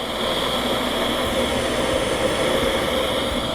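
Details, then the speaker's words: Septic system jet aeration pump after overhaul, found during an internet outage diagnosis: steady even whir with faint constant tone, no vibration or rattle; running smoothly, sounds much better than before. "we're running sounds good no vibration sounds way better"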